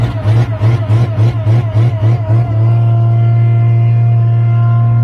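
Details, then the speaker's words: Owatonna 260 swather, first start of the season on a weaker battery: cranks with even pulses a couple of seconds, catches promptly and settles into a steady smooth run; normal start and run. "hopefully this starts with the weaker battery perfect see it once you running it runs great or fires up great just that side of the head"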